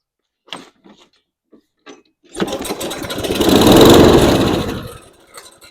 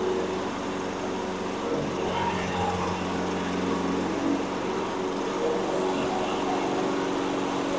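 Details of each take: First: Toro Recycler 22" mower with a Briggs & Stratton engine that won't start, tried with starting fluid through the air filter housing. It catches after a few pulls, runs briefly and dies within about three seconds: fuel delivery fault, carburetor to be disassembled. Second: Toro Recycler 22" mower, Briggs & Stratton 190cc engine that wouldn't start, after repair, running on gas without starting fluid: steady even single-cylinder running, no surging or misses; normal running.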